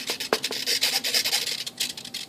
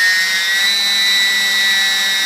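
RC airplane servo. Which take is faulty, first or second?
first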